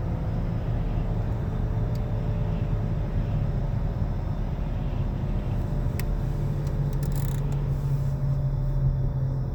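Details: 2013 Nissan Altima cruising: low steady drone under road rumble that rises slightly late in the run and changes pitch with speed; earlier told it was not a wheel bearing, but it later proved to be a worn wheel bearing.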